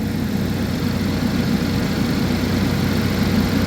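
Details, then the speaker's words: 2011 GMC Terrain with a recurring P0341 cam code despite new phaser solenoids and cam sensors, at cold idle with the check engine light on: a steady, even low rumble with no ticks, knocks or stumbles, running smoothly. "all right like I said she's purring we have the check engine light on"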